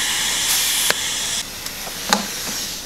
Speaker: That hissing noise you can hear is actually coming from the tank, not from the not from the new tyre.